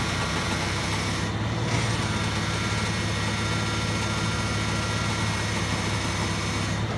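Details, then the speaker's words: Harsh rasping groan with a low drone, constant while the steering wheel is turned; power steering fluid already added without effect, ball joint known worn; source not yet pinned down. "like a dying cat. I don't know what the fuck that is. I already put power steering fluid. It's not working."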